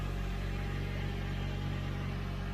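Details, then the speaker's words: Mazda 6 SkyActiv with newly installed VT-Racing twin-screw supercharger kit and fresh tune, first start: smooth steady idle, almost stock-sounding with a little extra rumble, no knocks or whine. "At idle, it almost sounds stock. Just a little extra rumbly sound."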